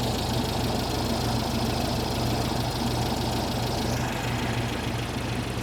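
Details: 1973 VW Super Beetle 1760cc with dual 40s, idling with no throttle connected, before adjusting a loose #3 exhaust valve: steady, even, quiet idle with a smooth low beat and a little typical VW valve-train chatter, no clanging; healthy.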